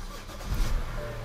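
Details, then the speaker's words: 2007 BMW bought cheap, unknown-condition engine: brief crank, then catches and settles into an even idle without stumble, clean start; several dashboard warning lights on. "turns on fine there's a bunch of warning lights but you know that's just regular bmw stuff"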